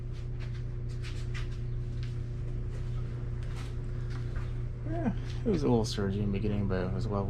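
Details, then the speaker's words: Briggs and Stratton engine after RPM/governor adjustment (target about 3600 rpm), freshly fueled: steady low drone, slight hunt at first then settles; governor holding good rpm, normal running. "now i just put fuel on it so that's gonna need it so when that happens the ball just isn't all the way full but it was leveling out so the rpm sounds good to me okay"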